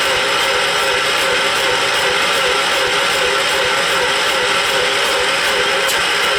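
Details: John Deere 212 riding mower, engine believed a 12 hp Kohler, battery on charger: slow even starter churning about twice a second with no catch; cranks but won't start, smoke puffing out, owner suspects possible blown head gasket though compression seems adequate.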